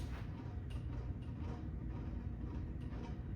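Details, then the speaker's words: 52-inch Harbor Breeze Avian ceiling fan running at its only available speed (remote missing): steady deep rumbling, loud abnormal low noise, cause unknown. "Yeah, the fan works, but the remote is missing. So, yeah, but this one's working now. But the downstairs one is not working as well. It works. It's making a low noise."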